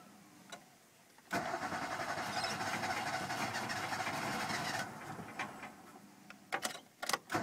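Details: Ford Festiva: cranks and catches, runs roughly for about three seconds at a fast uneven beat, then dies with a few clunks; starts but won't stay running.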